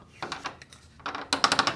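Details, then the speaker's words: Garage door with a nylon roller just installed, roller stem bare without a sleeve: sharp, high-pitched metallic rattling in quick bursts as the metal roller stem knocks inside the hinge tunnel. A roller stem sleeve muffles it. "so since we just put this roller we're still going to get that rattling sound because if you look at here now that is the metal to metal from the roller stem onto the hinge tunnel"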